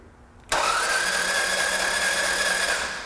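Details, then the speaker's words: Starter spins fast and even with no compression pulses on a car that broke down, suspected broken timing belt; no compression on cylinders two and three, only a brief spark, injectors still active with raw fuel smell; no start. "there was a quick spark there for a second and then nothing but also no compression on cylinder number three"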